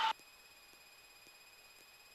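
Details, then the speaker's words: Light aircraft in upper air work near 3,500 feet, slowing toward about 50 knots while pitching up before power is added: brief loud blip, then a faint steady high-pitched tone; stall warning horn. "Okay, so I'm going to start bringing in power. Okay, there's a stall warning."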